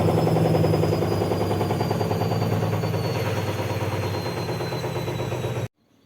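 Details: Leran washing machine during spin: fast, rhythmic thumping about three or four per second, fading as the drum slows; knocking from an unbalanced load. The fix is to run the drum briefly after loading so the laundry spreads out.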